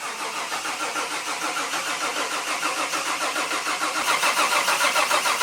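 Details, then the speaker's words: Nissan 240SX S13 drift car engine before first start, coil packs and fuel injectors disconnected: starter cranks with steady whirr and even compression pulses, no firing, to build oil pressure and fill cooler and filter lines. "So we're gonna put power to the starter and build up some oil pressure, maybe about 20 seconds or so."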